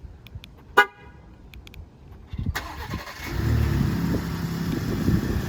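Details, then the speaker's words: Ford F-150 Raptor 3.5L EcoBoost V6 cold morning remote start after dealer recall replacement of the cam phasers: horn chirp and clicks, then the engine fires and settles into a steady, even cold idle. "we can do another startup to see if it still rattles when it's cold out but i'm i'm sure everything will be good all right we're walking out the next morning it's kind of cold out i want to go ahead and remote start the truck"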